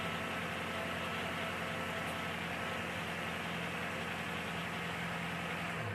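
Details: 2008 Chevrolet Malibu at smooth steady idle with even hum, no stumble or miss, after fixing zero compression on cylinder 3 (debris removed, now 180 psi); running on all cylinders.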